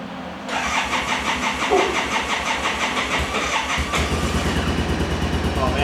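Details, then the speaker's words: 2014 Arctic Cat Wildcat Sport 700 UTV, hard misfire, running on just one cylinder; owner suspects spark plugs. Engine catches after cranking and runs lumpy and uneven with a stumbling low-rev beat: misfire on one cylinder. "it's firing on one cylinder bad man it's a hard Miss"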